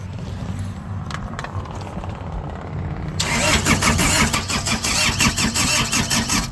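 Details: Laymor sweeper diesel, probably ran out of fuel, injector lines loosened to bleed air: about three seconds of uneven starter churning, then it catches and runs ragged; long cranking while air is purged.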